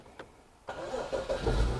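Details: 2015 BMW 640i with intermittent no-start from a defective battery, charging system fine: with battery charger connected, short crank and engine catches into a rising idle. Hard start from a weak battery needing charger help.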